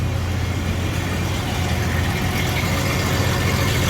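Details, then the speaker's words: Jeep ZJ 4.0L right after full exhaust replacement (new front pipe and muffler, cat removed): even, low idle with no ticking or rattle. The earlier suspected lifter or rod tick was likely the old exhaust rattling. "i had what i thought was a lifter tick or a rod kit uh a ticking under the valve cover and i don't hear that right now so i think what i was actually hearing before was the exhaust rattling because the exhaust was horrible"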